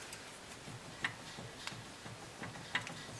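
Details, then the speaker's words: BMW E46 3 Series front end, wheel hub shaken side to side with a hand on the inner ball joint: faint irregular clicks and knocks; play found, worn inner tie rod joint. "you can see that this one has play and you can hear the noise of the inner tie rod that has gone bad"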